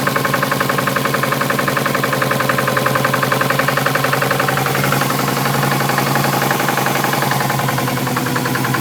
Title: Subaru impreza weird knocking noise